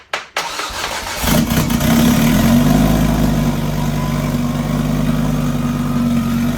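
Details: Fully rebuilt big-turbo 900 bhp Mk2 Ford Focus ST fired up again after oil and coolant top-up, starter still due for replacement: brief cranking, then catches and rises to a steady, even idle with no knocks or misses. Normal start and idle.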